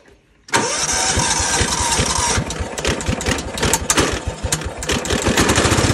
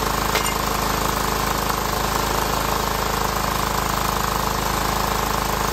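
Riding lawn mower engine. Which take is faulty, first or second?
second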